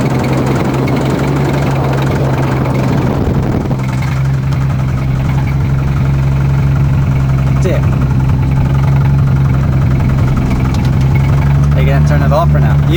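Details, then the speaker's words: Modified car: heavy low uneven rumble with rough beat swelling with revs, RPM dependent, belt still on; suspected from the block, hopefully not the head, unconfirmed. "Hopefully it's just something loose. Nope, it's RPM dependent."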